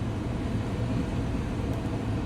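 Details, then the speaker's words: Damaged salvage 2021 Chevy Trailblazer LT, 25,000 miles, airbag light on, AC turned off: starts fine and idles with a steady, even low rumble, no knocks, misses or squeals; normal idle. "just turn off the AC starts up pretty fine no issues Idols fine"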